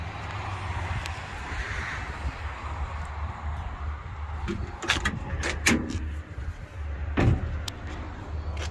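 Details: 1969 Dodge truck at idle: a smooth, even low rumble holding steady behind a few door clunks, with no ticking or misfire; a healthy idle.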